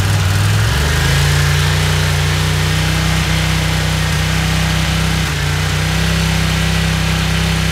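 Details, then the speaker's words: Honda CX500 V-twin idling after the carburetors were cleaned again and ultrasonically cleaned parts were swapped in: steady but uneven idle with an occasional soft pop every second or so; owner suspects a vacuum problem on one side. "foreign so I'm not really sure what's going on there's still that weird popping sound you hear I still think something to do with the vacuum for some reason on this side you can hear it popping every now and again"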